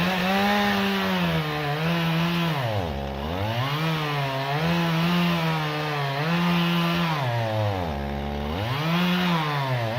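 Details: Stihl MS 391 chainsaw, about two years old, cutting hard walnut logs: high steady scream that bogs smoothly into each cut and recovers cleanly; healthy saw pulling well under load.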